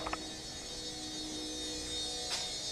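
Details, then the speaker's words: 2013 Jetta TDI replacement auxiliary fuel pump run by the scan tool's basic settings (group 35), engine off, during a fuel system flush; faint steady hum with constant pitch and no strain or whine. The old pump whined when hot. "you can hear it running without much struggle"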